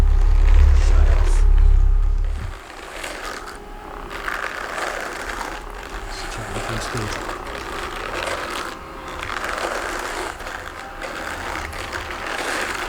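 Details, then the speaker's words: Homemade drum carder converted to electric, LiFePO4 battery-powered: light rhythmic scraping, about four strokes a second, over the motor hum; teeth rub at one point because the drum, made of damp wood, went out of round drying. "The rubbing you can hear. These teeth, they shouldn't really be touching, but the drying of all the wood, because I used fairly damp wood, has made this not quite circular, so they just touch in one point and then don't in another."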